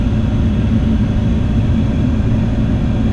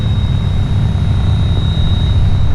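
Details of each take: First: 2009 Dodge Ram 1500 cab blower after new blower motor installed, speeds two and three: steady low air rush, even hum, earlier whine at speed two gone, maybe slight new noise at three; healthy. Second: 2009 Dodge Ram AC/heater blower motor before replacement, at lower fan speed: low rushing airflow with thin steady high-pitched whine, worst on speed three; weak airflow, sometimes fails to ramp up; worn blower motor, replacement fixed noises.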